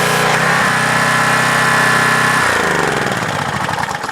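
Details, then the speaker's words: Pressure washer after a leaking valve was refitted: steady engine drone with even pump pulsing that eases off after a couple of seconds, no misses or knocks; the leak was only a loose hose connection and it runs fine. "Just hose connection a little loose. It works fine. It's good."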